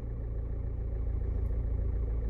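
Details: Diesel car after a fuel filter change: starts immediately, then steady, even diesel clatter at idle with a smooth low rumble, no misses or hunting. Runs healthy; long cranking would indicate air still in the system.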